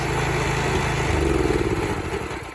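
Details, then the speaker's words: 1970 Sears 10XL garden tractor after clutch engagement, kill switch tried: small engine runs with a steady, even low thump, no misses or knocks, then eases off smoothly; runs pretty good; normal running. "So it's perfect. That sounds like it runs pretty good."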